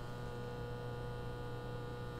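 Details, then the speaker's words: Cheapest microwave powered by a modified sine wave inverter from a cheap LiFePO4 battery: steady low hum with a buzzy edge, louder than normal. This is typical of modified rather than pure sine power. "i could hear that it is louder running through my inverter i i hear that is a normal thing when you use a modulated sine wave as opposed to a pure sine wave that your ac equipment is louder"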